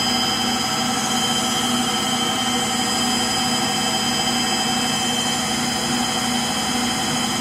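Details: Frigidaire Gallery front-load washer GLTF1670AS1 on final spin: a loud steady roar with a constant high squeal riding over it, from a bad motor bearing.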